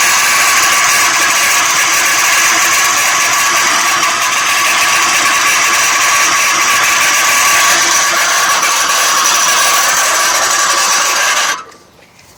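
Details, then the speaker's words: 1995 Jeep Cherokee 4.0 L six, about 240,000 miles, engine running: harsh metal-to-metal grinding and rattle with a sharp rasp; serpentine belt idler pulley bearing failed and detached, replaced with a new idler. "okay so I don't know if you can hear that noise but it sounds like uh metal to metal"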